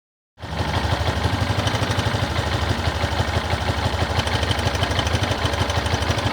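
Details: Yamaha XTZ 250 Lander at idle: single-cylinder thumping with a fairly regular clatter on top, about three per second. A strange engine noise, cause unknown.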